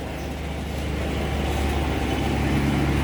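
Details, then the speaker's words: Predator 3500 generator after cleaning the idle jet and adjusting idle for surging and stalling, loaded with a 5000 BTU air conditioner on high cool then an evaporative cooler pump: smooth, constant hum with no surging; normal. "no real big load change there"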